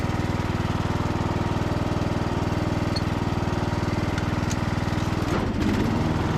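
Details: Briggs and Stratton–powered Craftsman DLT3000 riding mower mowing on test drive after no-start repair: even regular single-cylinder thump, steady low drone, no misses or knocks; engine healthy.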